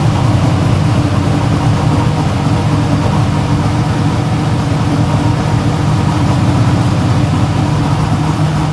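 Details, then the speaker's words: Idle of the V8 in a 1957 Chevy no-prep race car with a manual clutch, after repairs so the valves now seal. A steady, even low rumble with no misses or ticking; it runs smoother than ever. "No, but it runs way smoother now than it's run. I think having valves that seal are a help."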